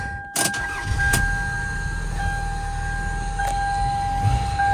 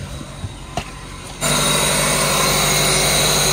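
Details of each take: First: 1999 Toyota Camry 2.2L after fixing a rough-running P0300/P0301/P0302 misfire, including a new spark plug in cylinder three: steady, even idle with no stumble, faint electrical tone; running smoothly, though a vacuum leak sucking noise is found nearby. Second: 1999 Toyota Camry 2.2L with rough-running misfire codes P0300-P0302, new spark plugs fitted: the idle is drowned by a steady, loud hissing suck, an air leak bypassing the filter.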